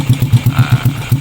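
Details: Honda Supra X 125 motorcycle after valve clearance adjustment to cure tek-tek ticking: even, steady thumping idle about seven beats a second with no ticking; idles clean.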